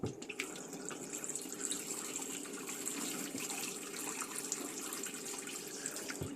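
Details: 2021 Bailey Pegasus Grande Messina caravan, water pump switched on and tap run to purge air from the system. Steady, even rush of water with no sputtering or surging; normal flow.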